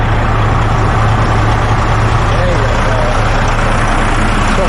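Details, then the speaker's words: Semi truck after the compressor air line failed on a mountain climb and was replaced: steady, even diesel idle with a low constant drone and no knocks while the air system builds pressure; the compressor itself was fine, the line was the fault. "good building up pressure"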